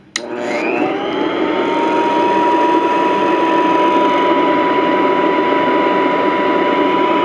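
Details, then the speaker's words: Vintage all-metal Royal Model 153 vacuum, owned 22 years; spins up with a rising whine over about a second, then steady even hum with light rattle from the rug plate; normal start-up and run. "For these, everything's harder and harder to find, which is a shame, because these are great vacuums, and I just love the way it starts up. It's cool."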